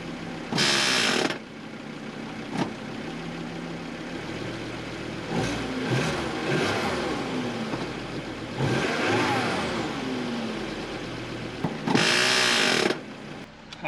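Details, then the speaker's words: 2006 Volvo XC90 with a blown automatic transmission, recorded from underneath at idle: harsh grinding, ratcheting bursts when shifted into park; the car won't move in any gear, consistent with internal transmission failure. "if i put in park it makes that awful noise"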